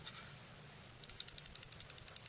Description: Sound like a loose piece of metal is rolling around in your knife? Here's how you can fix that, easily.